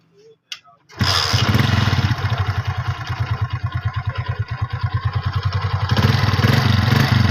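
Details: 2012 Hero CD70-type motorcycle after timing chain refitting with the timing marks aligned: starts on the first try and settles into a steady, even putter with no ticking.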